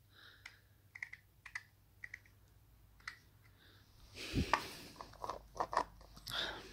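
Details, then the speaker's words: Toyota MR2 strut top mount bearing turned by hand off the car: irregular gritty clicks and crunches with a rough catch partway round, worn bearing; new one turns smooth and silent. "okay so check out the bearing in this one hopefully you can hear that imagine that that's got a turn"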